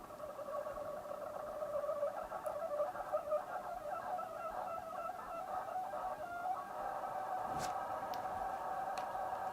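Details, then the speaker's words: Coolmoon Crystal Diamond ARGB budget 120mm fan on its remote-controlled hub, lower speed setting: constant raspy drone with wavering middle tone; only this fan keeps running while others want to stop; controller suspected faulty, possibly one-off. "not good i can't deal with that noise so there's definitely something a little bit quirky about this controller"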